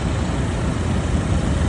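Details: New 2024 Lada Vesta, 3,800 km, on factory oil during break-in: noise thought to be hydraulic lifters is actually an absorber; with it removed, a low, even idle rumble with no ticking or tapping.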